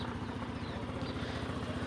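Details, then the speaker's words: Maestro scooter after repairing severe engine, body and handlebar vibration: steady, even putter with no shudder, handle no longer vibrating, though a broken part still rattles slightly. Normal running. "तो अभी आप देख सकते हो कि जो maestro हमने ripped की थी वहीं और अभी यह वाइब्रेट नहीं कर रही है और इसका साउंड भी बहुत अच्छा है"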